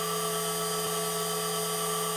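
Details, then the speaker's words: CNC spindle running at 10,000 RPM, measured about 62 dB versus roughly 70 dB for the old router, VFD fan also audible: smooth, steady high whine with constant pitch, no knocks; spindle runs clean. "and now we'll start the spindle and that certainly sounds a lot quieter that's a 62"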